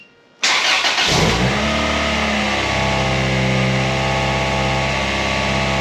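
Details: Honda Civic with swapped-in B16 engine, first start with full exhaust and cat fitted: cranks and catches instantly, flares then settles into steady rev, even exhaust note, no ticks or knocks; healthy.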